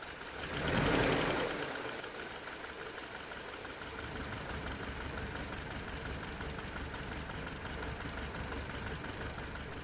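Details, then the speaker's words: 1993 Toyota pickup with a 22RE engine after replacing an idle air control valve whose coolant passage was plugged. A quiet, steady low idle with no hunting or surging; the idle speed screw still needs adjusting up. "you could notice there's definitely a big difference in the idle it's definitely a lot lower than when we started"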